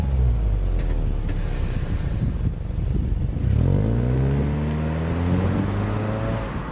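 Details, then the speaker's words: Magnaflow 11366 aftermarket muffler on a 2010 Subaru Impreza, heard from outside during a quick launch: low throaty exhaust note climbing in pitch as the car pulls away; normal. "give a gas vibrates everything that's fine so not too bad dude vibrates everything back there Wow I didn't think it'd be like that"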